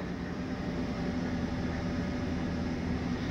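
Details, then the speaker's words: U-Haul truck reported to gain oil pressure after start, then lose it within about 10 seconds and run rough. Restarted, it gives a steady, even low idle hum with no knocks, ticks or dips, and oil pressure appears to hold. "now let's see if it holds which seems to be doing so"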